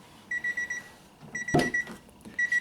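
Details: 1995 Honda Civic del Sol with draining battery: repeating bursts of about five quick high beeps, key reminder chime; dented door plate keeps door switch from fully pressing, and the plate is loosened and moved.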